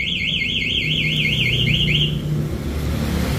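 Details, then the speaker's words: Motorcycle with new MP One alarm armed: fast rising and falling electronic siren wails as the starter is tried; the alarm blocks starting, starter won't engage. "Di starter pun juga nggak bisa. Ini kita coba starter. Nah, ini di starter nggak bisa. Nah, dia bunyi ini. Starter nggak mau."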